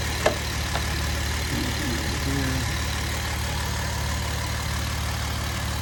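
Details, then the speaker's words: 2011 Jeep Wrangler 3.8 V6, after repairing cylinder misfire codes P0301–P0306, intake duct, air cleaner and wires reinstalled: steady, even low idle hum with no stumbles or skips; misfire gone, normal idle. "that sounds pretty good so far no more [Music] misfire everything's back in its looms bug wires are all in place"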